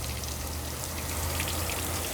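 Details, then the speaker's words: 1978 Bluebird Wanderlodge bus on city water pressure: constant patter of falling, splashing water like heavy rain with low rushing beneath, leaking heavily underneath the floor; water leak. "It's leaking like crazy, and it's underneath the floor of"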